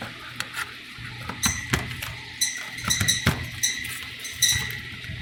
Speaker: We can hear the fan again, the bearings.